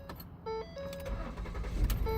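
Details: 2014 Ford Flex after replacing the fuel pump control module behind the passenger-side rear panel (code for fuel pump control circuit open, previously cranked but wouldn't start): door chime, brief crank, engine catches to a low steady idle; normal start.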